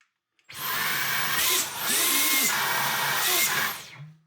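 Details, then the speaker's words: Dyson V12 Detect Slim Absolute cordless vacuum, heavily clogged, after emptying dust: motor whine surges, dips and surges before fading out; pulsing and cutting out, filter suspected, cause unconfirmed. "Still still cutting out. Oh, now it's it's died."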